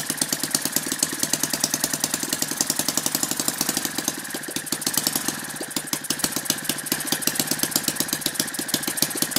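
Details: Lynx 15 small model engine on two-stroke mix after refitting the fallen-off tank pickup tube that let the carburetor suck air, compression now much higher: fast, steady, crisp even firing, no misses or knocks; starts easily and runs healthy.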